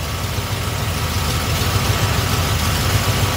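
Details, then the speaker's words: Small-block Chevy with Edelbrock carb, timing already set, before idle mixture adjustment by ear: smooth, deep, even, steady V8 burble at idle, no misses. "Now, like I said, if you hear the engine, it's already idling smooth."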